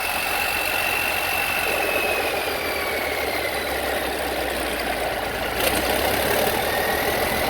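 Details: 3588 diesel just after a rebuild, fuel lines bled, idles steadily with an even brisk clatter and no knocks. Rockers are well oiled; one water hose is not yet refitted and leaks slightly. Normal idle.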